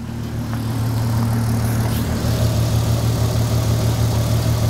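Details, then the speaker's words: VW Golf R32 on first start after sitting, fuel tank bone dry and refilled, oil filter empty, ignition lights flickering: low cold idle with a faint irregular beat under the steady hum; lumpy idle. "okay it's going to Rattle a little bit because the oil filter is empty so it's got to fill that oh the ignition lights are going on and off come on it's bit lumpy"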